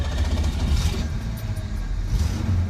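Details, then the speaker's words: 1968 Ford Mustang, stock 200ci inline-6 with stock exhaust, warm from earlier use, carburetor pumped three times. A short crank catches at once and settles into an even, steady low idle with no knocks: normal start and idle. "it starts right up stock exhaust and everything"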